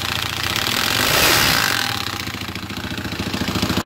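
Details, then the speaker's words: 2020 Hawk DLX 250cc EFI motorcycle at 439 miles: engine revs then settles with a loose clattering rattle about three and a half times a second, caused by the centrifugal oil filter nut backing off; metal found in oil. "i'm pretty sure this is the noise and it looks like it was supposed to be threaded on right here and it wasn't it just slid right off so it probably just spun out you know threaded itself loose"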